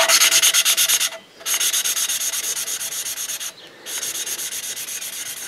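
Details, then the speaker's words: Valve lapping on a Briggs & Stratton 15.5HP Intek OHV engine from a Husqvarna YTH150 mower after a blown head gasket. Rhythmic gritty rubbing strokes, about three a second; the seat is still rough and needs lapping until the rubbing noise stops. "il faut déplacer jusqu'à ce que et plus le bruit comme ça tout le temps et ainsi de suite jusqu'à ce qu'on entende plus de bruit de frottement des bulles"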